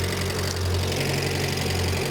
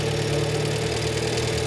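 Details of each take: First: Renault 5 Gordini Turbo, non-electronic idle mixture screw turned out (richer), likely unadjusted for years; low lumpy idle with the beat sagging, delayed response; rough idle from over-rich mixture, screw turned back in. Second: Renault 5 Gordini Turbo (Alpine Turbo) classic, idle mixture screw just richened, disliked, then screwed back to where it's happiest (screw has delayed action); steady even hum, constant low note, no misses or knocks, settled lower idle; normal idle.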